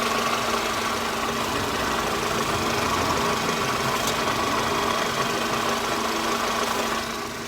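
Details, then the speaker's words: Mercedes SLK R170, warm after running a while, recorded at the front of the exhaust with the bonnet open. It idles smoothly and evenly with no puffing or chuffing, and no air or exhaust is felt escaping. No leak is present at the front. "now this one's been running for a while and it's it's pretty warm but I can't feel any air coming out or exhaust coming out which is good"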